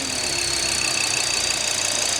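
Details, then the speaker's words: Salvage Mk1 Audi TT RS, 2.5-litre five-cylinder, no engine light: a thin, steady high whistle rides over the idle. Suspected air leak or vacuum pump, source unknown. "did you hear that we definitely have whistling yeah have a listen"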